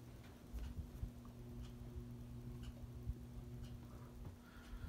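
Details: SMC Scandinavian ceiling fan running on low with the light on: a quiet low hum with faint irregular ticks roughly once a second. Its earlier grinding has reduced; a worn fan bearing is suspected.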